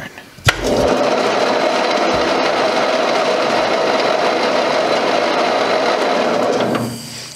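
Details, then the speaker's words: Cub Cadet 149 garden tractor, after rewiring ignition switch and fuel system work: steady fast crank about three turns a second for six seconds without firing; owner suspects the exhaust valve is stuck again. "she turns over and it sounds like that exhaust valve is stuck again"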